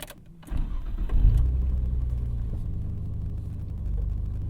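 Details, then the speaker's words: 1995 Nissan GTR V-Spec (R33 Skyline), right-hand drive, first start: quick crank catches cleanly and settles into an even, steady low idle with no knocks or misses; very smooth, healthy. "This thing smooth, very smooth. Super shocked when I first cranked it up."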